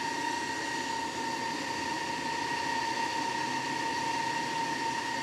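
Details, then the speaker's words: EG4 FlexBoss21 / Amensolar N3H-X12US solar inverter, microphone held close to the cooling fan: steady high-pitched whine over a constant airy rush with no pitch change; the fan is far too loud, replacement fan to be requested. "Here, I'll get you a little closer. Right there's the fan and listen to that thing. That's horrible."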